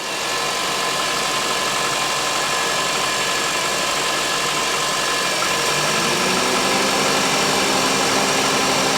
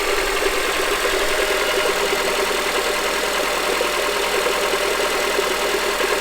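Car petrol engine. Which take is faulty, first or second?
second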